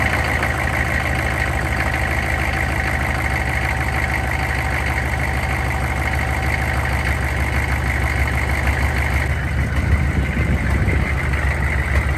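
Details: 2000 Chevrolet C3500 4x4 turbocharged 6.5 L diesel farm-find repo truck, first run, no coolant yet: steady, even low idle clatter with no misses or stumbles; engine running cleanly.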